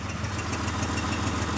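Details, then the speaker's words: Mitsubishi Montero idling on its own, warm, after earlier rough idle and shaking like a misfire: sharp, even tick-puff about seven times a second over low rumble; suspected exhaust leak. "look the truck is sitting and it's running and it's idling on its own no to pedaling I do hear an exhaust leak right here"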